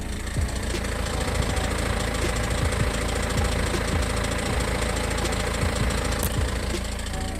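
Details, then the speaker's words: BMW E46 with the M47N diesel at idle with the A/C on: light, irregular ticking and clicking about three a second that stops when the A/C is switched off. A vacuum pump was first suspected, but it is a crankshaft pulley rattle. "Mam teraz włączony silnik pracuje on sobie w ten sposób słychać takie lekkie postukiwanie klikanie nie wiadomo od czego"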